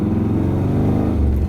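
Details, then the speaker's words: 1981 Corvette V8 on the road after exhaust repair, welding and motor mount work: deep, even rumble pulling steadily with no clanks, rattles or puffing leaks; exhaust fixed. "The exhaust has no more clanking noises. There's no sounds that sounds like the air is being funneled a weird way, like no poofing noises. There's none of that. So I think it's all fixed."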